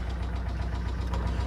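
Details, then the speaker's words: 6.0 LS V8 at idle: deep regular knocking, diagnosed as heavy rod knock, though earlier thought to be lifter noise. "That's a rod knock big time."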